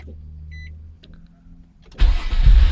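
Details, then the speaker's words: 2002 Nissan Maxima 3.5L after repairing P0335 crankshaft position sensor signal shorting to ground beneath the engine cover: chime, very short crank, engine catches almost instantly into steady run; long-crank fixed, normal quick start. "there we go as you can see the starts the car started real quick and you know so this crank was not a long crank it was a quick crank"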